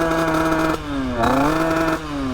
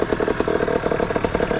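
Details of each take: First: 50cc two-stroke: blips climb briefly then sag instead of revving out; owner suspects ignition timing (worn ignition, set at 0.035) or a very rich mixture. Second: Rebuilt 50cc two-stroke motorcycle engine idling on first start after repair: quick, even putter about fourteen beats a second, no misses or knocks; clean steady idle.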